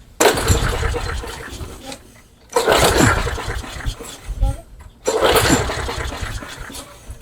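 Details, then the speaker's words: Craftsman mower that customer says won't run, with carb spray into the intake and an E3 plug: three pull-starts, each a short burst of cranking dying away without catching; cranking no-start, spark not yet confirmed. "Nothing. So, we're going to even have to confirm that we even have spark."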